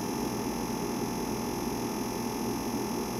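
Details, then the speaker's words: Sanyo MX960K Big Ben boombox, plugged in, tape deck not working: steady motor hum with a faint high whine that never stops; the cassette motor runs constantly because the power switch has failed. "Okay, it's running constantly. The power switch on this unit does not work."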